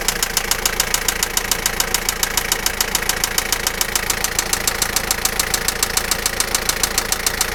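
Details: Toyota Lucida engine at steady idle: sharp, regular metallic knock at about 140 per minute, evenly spaced.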